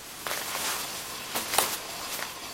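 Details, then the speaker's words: Hand-spun front wheel of a Suzuki Jimny JB43: soft, airy swishing with no rumble or grinding, only the disc rubbing the pads; wheel bearing is good. "Là, on entend juste le le disque qui frotte sur les plaquettes. Donc il y a pas de souci. Le roulement, il est bon."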